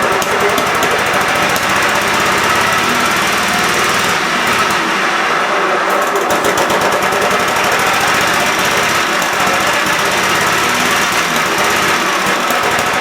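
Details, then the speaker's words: Cub Cadet mower engine after carb screw refit, PTO engaged spinning blades; harsh, uneven chatter with beat wavering and dropping out, missing and stumbling. Owner suspects a leaking fuel solenoid sucking air or a bad coil; unconfirmed. "well crap all right back to the drawing board but the PTO does engage and spin the blaze I just got to figure out why this is uh not running right"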